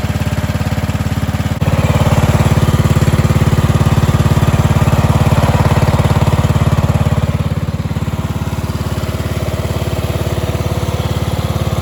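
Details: Cub Cadet 2146 lawn tractor with a 14 hp single-cylinder Linamar engine, revived after sitting 3 years, idled until hot: a steady, even single-cylinder thump at fast idle with no misses, knocks or hunting. Normal idle.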